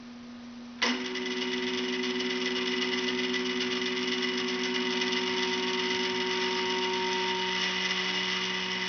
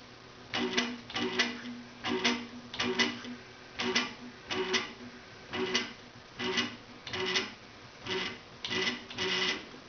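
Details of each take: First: 425 oz/in stepper motor on a Gecko G540 driver, jogged forward with the current trim at maximum: loud, steady, high-pitched buzzy whine; quieter as the trim is turned down. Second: 425 oz/in stepper motor on a Gecko G540 driver, jogged: short, even buzzing moves, each starting and stopping cleanly.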